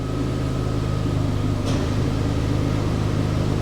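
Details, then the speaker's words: Vauxhall Adam bought from a salvage auction, idling: steady, quiet, even hum with a couple of sharp clicks as the air-con compressor clutch engages; engine sounds good and normal. "yeah I can hear the clutch on the um air comp clicking in that's really so no isn't it"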